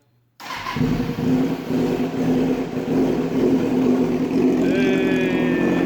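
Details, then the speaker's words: 2005 Kawasaki Ninja 636, sat for years, first start after repeated fuel pump priming: engine catches after a brief crank and settles into a steady, fairly even idle with a light blip. Runs, a good sign; normal running. "so all right so she runs that is a good sign all right so she runs so that's good"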